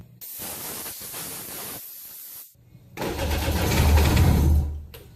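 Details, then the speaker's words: Jet ski started after pulling the plugs and charging: the engine catches after a brief gap, then rises cleanly and evenly with each throttle blip, responding for the first time. "responding to the throttle for the first time you hear it yeah"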